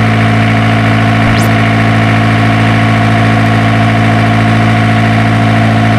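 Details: Isuzu diesel generator engine with a hard-starting problem: steady, even diesel idle with a constant low drone and no stumbles or knocks, running normally after troubleshooting.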